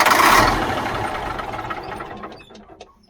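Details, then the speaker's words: 1977 Mack R-model diesel truck that has sat a long time, on ether: slow, uneven cranking chug fading within three seconds without catching as the batteries run down. "it ain't gonna do it it's not going to do it running down the batteries now well we tried"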